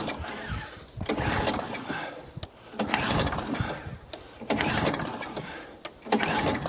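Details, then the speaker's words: Atco Balmoral cylinder mower engine on choke with fuel, after roller repair; repeated recoil pulls, short rasping spins about every 1.5 seconds, no firing; cranks but won't start, owner suspects carburetor needs flooding. "It may want the carburetor flooding. So let's just get my screwdriver and flood that carb."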